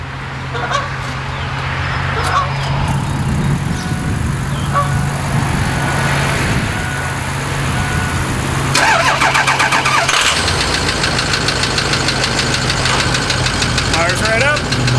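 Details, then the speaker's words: Ford E350 van 6.0 Powerstroke diesel, cold start: light rapid ticking over diesel clatter, mostly subsiding when warm; suspected cracked piston below the compression rings, relative compression spot on. "here's got a tick when it's cold once it's warm that noise actually subsides and mostly goes away but it's still definitely there"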